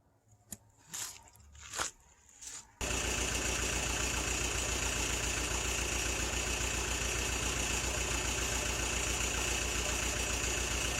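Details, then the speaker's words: Old Bobcat 825 skid steer with hydrostatic drive issues and overfull hydraulic fluid, restarted after a repair attempt: a few clunks, then the diesel runs with a steady, harsh growl and hiss. Suspected cavitating hydraulic pump, unconfirmed. "I'm gonna fire it up see if that fixed the noise if it still seems to be growling and cavitated and everything else"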